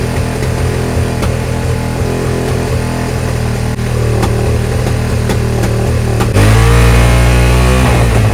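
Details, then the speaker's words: Suzuki SV650S V-twin, carbs just synced: fast steady drone far above normal idle, about 7,000 rpm even with idle screw backed out; vacuum leak past the carb washers. "all right seemed to have adjusted and synced them but it seems like it's still it's revving high so I think we got a vacuum leak somewhere"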